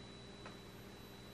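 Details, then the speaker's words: Nitecore LR30 flashlight that had stopped working then resumed with strong noise: faint steady high-pitched whine at one pitch over a low hum while lit, suspected from the DC-DC converter inductive coil as PWM changes per mode press. "eventually the only parts it can do such a noise is of course the coil the inductive coil of the DC to DC converter because each press they are changing probably the PWM to the DC to DC converter"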